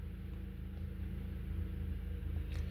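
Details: 2012 Honda Accord 2.4L, warm quiet idle with uneven low putter and occasional dropped beats; misfire on cylinders two and three with codes P0302 and P0303, before crank pattern clear and relearn with scan tool.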